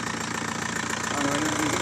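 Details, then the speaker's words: Diesel engine idling after the head job was redone with timing set exactly right: steady, even idle with a smooth regular beat and no sharp knocking; normal sound. "طبيعي صحيح يعني خدم الخدمه كلها الميكسي وقد روحه وما قدش روحه"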